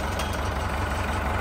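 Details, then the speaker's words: 1972 International Harvester 1468 V8 diesel tractor, first start since last December, warming up: steady, even idle with a low throbbing beat and no knocks, idling on four cylinders; normal idle. "very unique sound incredibly unique sound we there sitting here idling on four cylinders"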